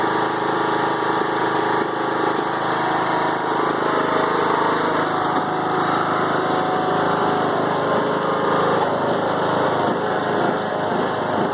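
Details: 5-year-old Craftsman mower with Briggs & Stratton Intek 20HP twin, head gasket replaced after hydrolock; loping, hunting idle with no steady beat, bogs while mowing; no longer smokes; rough idle, unclear cause.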